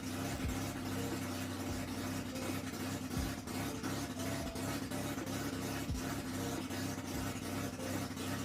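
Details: Mazda RX7 rotary after a full rebuild with new seal springs and EFI, first fire-up; it settles into a typical choppy, pulsing idle at steady speed with no knocks or grinding, running fine.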